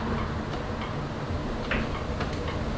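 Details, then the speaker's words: 2016 BMW R1200RS at 60,000-mile service, front raised on a jack and rocked by the axle for play: sharp irregular clicks from the steering damper; no play found, front end in excellent condition. "I'm rocking pretty good. Again, that steering dampener is making noise."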